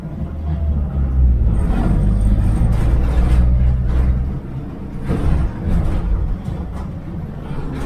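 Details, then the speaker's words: 1969 Chevy van, off the road 35 years, cold start after sitting a week: steady raised idle with a low even rumble and body vibration, metal panels vibrating; normal fast idle while warming up. "Stays on high idle for a while. So everything's vibrating."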